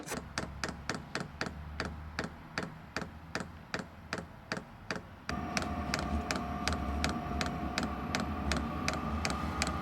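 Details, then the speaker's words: Diesel heater in a van with the cover off: steady light ticking about two to three per second over the heater hum; owner first suspected the fuel pump hitting the side, but it is just the pump itself clicking, normal. "start it up and see what the ticking is I believe that it's a fuel pump or in would it have an injector maybe the fuel pump acts as an injector like squirts fuel in"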